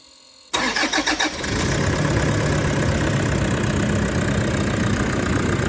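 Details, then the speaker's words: 2013 Toyota Prado 150 diesel, a bit over 300,000 km, after brand-new long motor and new turbo, with the one forgotten plug now connected: cranks briefly, catches cleanly and settles into a steady, even idle without misses or knocks. "Look at that. Beautiful."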